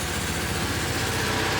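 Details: Small single-cylinder generator on a bucket/tool truck, started through a remote start and choke switch: it buzzes at a fast, steady rate with no misses or knocks. The generator is running normally.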